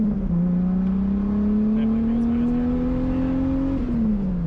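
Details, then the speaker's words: Datsun 280Z accelerating on the road after ignition timing adjustment fixed sluggishness and hard hot starting: steady even note climbing cleanly with speed, no misses or popping; normal running. "it's not shooting flames anymore which is kind of a bummer but it sounds way healthier yeah sounds great"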